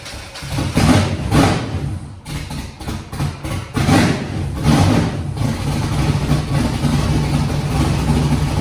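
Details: Foxbody Mustang 408 V8 on Holley Terminator X, first start after TPS auto-set: deep rumble blipped unevenly then low rough idle; still won't idle without throttle, throttle body opening may need more adjustment.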